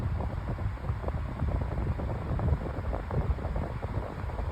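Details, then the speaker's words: Pedestal fan with three speeds and oscillation, on high: busy, uneven low rattle through the whir as the motor housing shakes because the blade assembly is badly unbalanced; fan imbalance rattle. "Here's high. You can hear the motor housing rattling and that's cuz this fan is really unbalanced."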